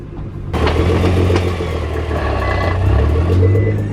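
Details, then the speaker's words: Nissan GT-R transmission: sharp clunks and loose rattle over the revving engine while shifting. The owner says it's not failing, just a normally loud, clunky GT-R gearbox. "but this transmission rattles like crazy not that it's going bad it's just a nissan gtr thing that the transmission is just very loud and clunky"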